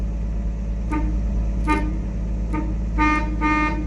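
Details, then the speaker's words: 1959 Chevrolet Bel Air, steering wheel being removed to check the horn switch: five short horn toots over about four seconds above a low engine rumble. The horn still works and sounds clear. "oh the horn still works so that's good I just heard"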